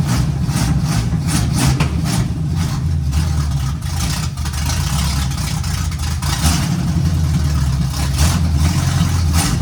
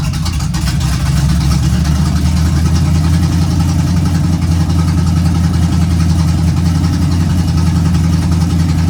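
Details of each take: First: 1951 GMC cab-over at first start, run on sprayed starting fluid with timing being adjusted: low, uneven rumble with a wandering idle and unsteady revs from a big vacuum leak, before a temporary fix. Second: 1951 GMC cab-over truck after first start and temporary vacuum leak fix: deep, even idle holding a steady low rumble with no misses or knocks; runs good.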